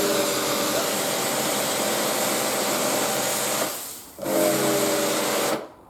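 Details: Karcher K4/K5 pressure washer that would not turn on, fixed by running water through it to purge the air before powering up: steady motor hum with a high pump whir, a brief dip and recovery; now running normally.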